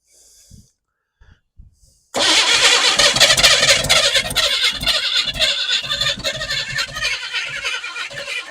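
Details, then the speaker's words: Abandoned 1988 Chevy S10 Blazer first start attempt, fuel line not yet hooked up, timing and throttle being adjusted: steady cranking with a few ragged firing pops, the engine trying to catch but not running on its own. "I mean sounds like it wants to go let's just adjust this just a tick more here"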